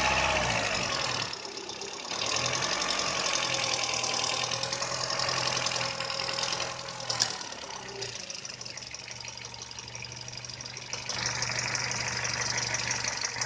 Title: VW Polo 6N Rough Idle issue